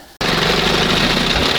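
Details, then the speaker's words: 1971 Johnson 20 hp two-stroke outboard, mixture screw turned way out lean during carburetor adjustment: loud raspy sputtery run with no steady beat; mixture too lean. "Ah! She likes it lean and sneezy, baby."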